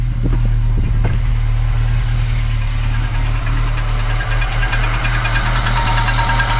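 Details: Volvo 245 DL abandoned 19 years, first run since 2005, on old fuel with brake cleaner: steady low idle rumble with faint irregular ticking on top; noisy after long storage, little smoke, cause not clear.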